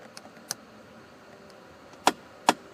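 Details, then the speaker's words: 2011 Ford F-150 dash: driver's-side lower temperature blend door actuator clicks sharply when temperature is set to 79° and above, skipping over stripped gear teeth; quiet at 78° down to 60° on good teeth. "it'll start clicking below that works just"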